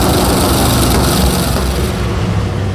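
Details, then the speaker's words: Rear-engine mini truck V8, after fixing swapped plug wires on cylinders five and seven and burnt cylinder three wire touching header: loud, deep rumble with steady even beat, no stumbling or popping; all cylinders now firing, normal running. "Okay. Well, let's run it again. I bet it starts better now, too. Probably. That sounds much better."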